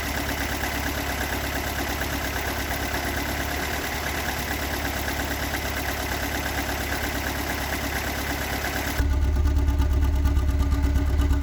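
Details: Toyota AE86 with stock bigport (blue top) 4AGE, unmodified, regularly maintained, about 195,000 km; uneven idle with loose irregular knock about three per second over low drone, recorded cold to warm at exhaust, cabin and engine bay; cause unknown.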